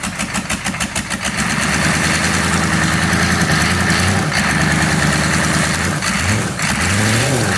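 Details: 6.5-litre engine: it catches, then settles into an uneven, lumpy idle with a wandering beat instead of a smooth steady run; a rough idle, cause unclear.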